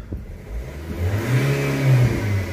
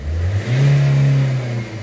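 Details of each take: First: Nissan/Vauxhall/Opel revved with the EGR valve refitted before a full clean and with a known broken wire: revs climb unevenly, spluttering instead of pulling cleanly, with some smoke and gunk; better than before but EGR still blocked. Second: Nissan/Vauxhall/Opel diesel after cleaning the EGR valve, revved while driving with the window down: clean, even rise and fall of revs with no stumble, flat spot or misfire, and no smoke; the issue is fixed.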